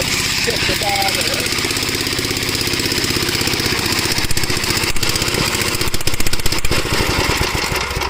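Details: Gravely garden tractor, unrun for about a year, cool day: quick, steady single-cylinder thump holding an even pace without stumbling; running normally.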